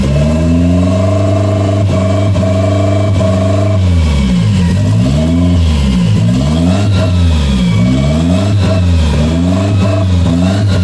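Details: 1992 Toyota MR2 project car with an unused vacuum outlet capped off: about four seconds of steady smooth idle, then clean repeated blips with no stumble or misfire; capping the outlet keeps the idle good.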